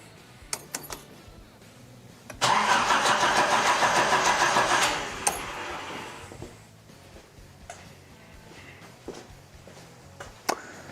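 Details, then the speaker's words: 1980s Nissan 200SX spark test with the igniter hooked up: a steady starter whir at about 3.5 beats a second for a few seconds, never catching; no spark seen at the coil, ECU signals to be rechecked. "unfortunately I am not seeing Zappy's apps okay don't get too discouraged"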